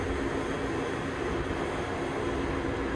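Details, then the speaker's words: Matsuura MC 510 V CNC machining center jogging the Y axis: only a low, even hum with a faint steady tone, no grinding or knocking; ball screws run smooth, sounds like a new machine. "There's the X. I mean, this thing sounds like a new machine. The ball screws and everything are great in this machine. No problems."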